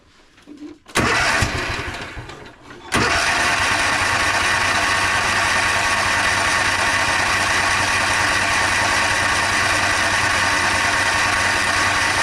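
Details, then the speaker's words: Toro Timecutter SS5000 zero-turn mower that bogs, lacks power and dies when the PTO is engaged: the engine starts and settles into a flat, weak drone because the choke is stuck on. "Apparently the choke's still stuck on, like I was just saying."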